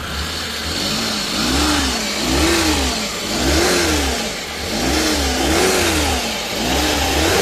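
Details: Suzuki DA64V with a non-turbo K6A petrol engine, serviced for a noisy water pump, coolant loss, overheating, oil sender and belt: the engine is blipped up and down about once a second and revs smoothly with no knock or whine.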